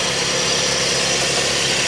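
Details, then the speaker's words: Auction car at idle with non-working AC: constant harsh metal-on-metal scraping hiss over an even idle from the belt drive, traced to a rubbing AC compressor. "I hear it. You can hear it rubbing. Where is it coming from, though? Uh, sounds like it's coming from over here. Oh, I think I see it. I think it's the air compressor."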